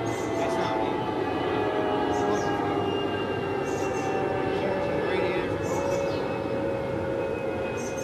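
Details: MEP-006A military 60 kW diesel genset, first run after sitting 3+ years, fluids checked, oil pressure up: steady even diesel drone with constant whining tones; running smoothly after start-up.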